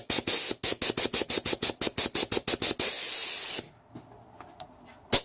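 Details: 2004 Isuzu Rodeo 3.5 litre V6, A340E automatic transmission, contaminated shift solenoid after cleaning (suspected for intermittent top-gear shifting), unpowered air test: crisp air hisses pulsing about three per second, then steady blast, then silence; seals properly.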